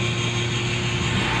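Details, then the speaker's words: Renault Kwid with no crank no start, key removed and ignition off: constant unchanging electric motor hum and buzz with strong vibration, no engine firing; ABS pump motor running continuously, fuses being checked. "Of करने के बाद भी वो sound create हो रहा है आप देख सकते हो मैंने चाबी बाहर निकाल रखी है"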